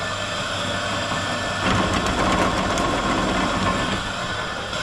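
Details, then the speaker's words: Big drill press run unloaded from an EcoFlow Delta 2 battery power station, drawing 560 watts doing nothing: steady motor whir that swells a little mid-clip then settles, no grinding, rattling or labouring; healthy. "Okay, we're running the drill press off it. Wow, it's drawing 560 watts, just doing nothing."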